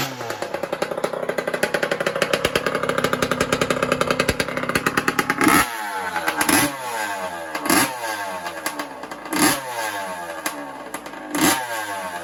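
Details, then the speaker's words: 1982 Honda CR125 two-stroke race bike, restored then stored, three kicks to start: rapid crackly idle, then raspy rev blips with extra rattle and bark. Exhaust leak at the silencer joint; the silencer isn't attached to the expansion pipe. "the silencer but they're now not attached so that's why she's a little bit rattly or a little bit noisy you'll you'll hear what i what i mean when i started up"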